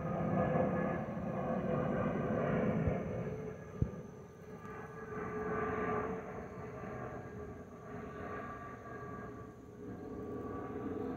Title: Delta Airlines Airbus A319-114 N365NB DL645 MEX-DTW (FOPP Whistling Sound)